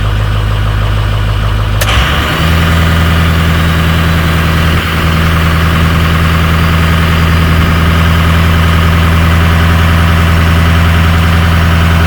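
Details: 2006 Ford F-250 6.0 Powerstroke diesel with a high-idle feature wired to an upfitter switch, parking brake set: engine drops from fast idle to a low, steady, even idle within a couple of seconds; normal idle.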